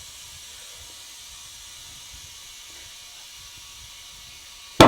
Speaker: you're gonna hear it pop in a second that means it's seating on the rim